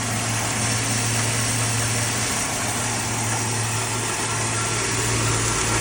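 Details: Plymouth Duster, Mopar Slant 6 225, running off the gas tank after starting on start fluid: even, steady idle with a low smooth thrum, no knocks or misses; normal idle.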